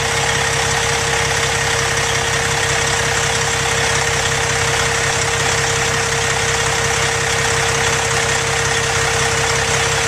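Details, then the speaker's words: 2005 Freightliner Columbia tandem axle day cab, Detroit Series 60 455 hp diesel, Fuller 10-speed manual: heavy diesel at steady, even idle with constant mid-pitched hum, no knocks or misses; normal idle. "Let's start it up and see how it sounds. The power in this is a Detroit Series 60 455 horsepower diesel engine."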